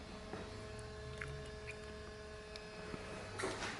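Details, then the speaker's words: Small cooling fan, powered via a SmartFPV RCCC v2 latching relay switch along with the 12 V video transmitter and the Mobius camera. A faint, steady whir with a constant low hum, spinning normally. "now you can hear the fan you can see the video transmitter on 12 volt started running"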